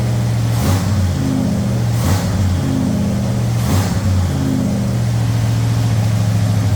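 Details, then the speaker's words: Thunderbird Town Landau with swapped-in 460 V8 and C6 transmission, after carb float leak: deep, steady V8 rumble with three clean throttle blips, good oil pressure, no knocks or ticks; sounds healthy. "Well, we got good oil pressure. Thing seems to be good."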